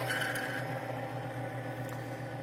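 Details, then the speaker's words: NNL 690 Timken bearing test machine, previously seized at six weights, run with Power Up oil additive without turning the bearing or removing weights: brief high squeal over motor hum fades within two or three revolutions, settling smooth; claimed boundary lubrication forming. "you hear that little squeal and then it's smooth out after two or three revolutions of the wheel that's establishing our boundary lubricant at the point of contact"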